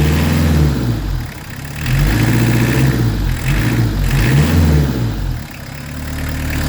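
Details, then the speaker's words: Peugeot 205 TD diesel just started after re-timing its PES injection pump, listened to at the exhaust: steady, even diesel clatter with deep exhaust note, not limping or missing beats; healthy, well-timed normal idle. "Vous allez écouter l'échappement. Et voir que c'est pas déconnant, que ça fonctionne nickel quoi. Ah, Il boite que dalle le moteur."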